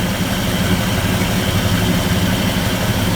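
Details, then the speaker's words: 1961 Ford F250 pickup with a rebuilt 223 six-cylinder and an aftermarket Chinese carburetor, first run after the rebuild. Steady, even low idle with no misses or knocks; timing sounds about right but is not yet checked with a light. The belt may be slightly loose. Normal idle. "chinesium carbonator sounds pretty good doesn't it yeah that timing sounds pretty close"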